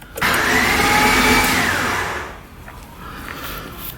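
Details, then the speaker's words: Honda Civic EF hatch, on first try after the battery was hooked up: a high whir spins up and winds down with no compression beats and the engine does not turn over; a bad starter or broken timing belt is suspected. "hmm that is an odd sound hmm could be a broken timing belt it could be a bad starter"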